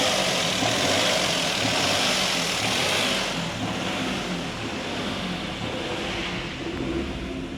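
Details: Maruti engine missing and misfiring at idle and when revved: uneven, stumbling beat with irregular pulses about two per second from a misfiring cylinder.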